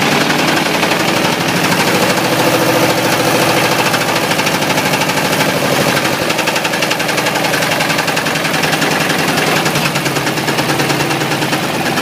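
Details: Ford 351W V8 with a spun rod bearing, abused until it dies: loud idle with a sharp, slightly irregular metallic rap near three per second over the engine roar; rod knock.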